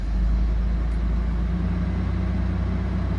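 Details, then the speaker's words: 2002 Toyota 4Runner that starts then stalls, just after start-up before code scan: deep, lumpy idle with an uneven beat and occasional stumbles, running rough; multiple cylinder misfires. "Oh yeah, it's definitely running rough. It's not liking something."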